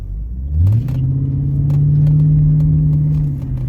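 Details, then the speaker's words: Cadillac STS driving home after replacing spark plugs and coil packs: smooth rising engine note levelling into even, steady pull under load, no stumble or miss; idling perfectly, normal acceleration. "Oh man, she sounds so good. Oh, sounds so good, man."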